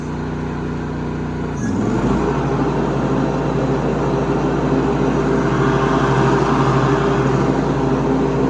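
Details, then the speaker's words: Snapper SPX 46-inch riding lawn tractor after new cutter deck belt: engine catches, then steady even drone with smooth blade whir, no squeal or belt slap; deck drive healthy. Normal running. "Sounds good. All right, so there we have it, a brand new cutter deck belt on the Snapper SPX riding lawn tractor."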